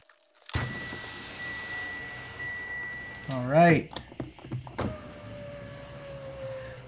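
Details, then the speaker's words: 2017 Mitsubishi Outlander front passenger power window after replacing the glass shattered by a rock: motor whirs at an even pitch through its travel, easing near the end, no grinding or binding; working normally. "all right guys i'm gonna try to roll it up and down"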